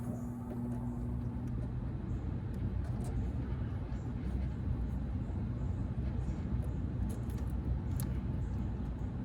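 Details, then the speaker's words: 2011 Rheem R-410A condensing unit on a no-cooling call: low steady hum and rumble as the compressor runs when powered manually; technician suspects chewed, previously patched thermostat wiring, not yet confirmed. "So I might be guessing a little bit early, but I believe we're gonna find the culprit to be in this thermostat wiring, or the lack thereof. Because as you saw, everything worked right up there."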